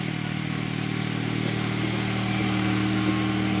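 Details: FF/18 vehicle with a replacement two-cylinder liquid-cooled Honda engine from a tractor, climbing a knoll on the governor: steady, even drone rising slightly under load, no knocks or misses. A front tire squeaks.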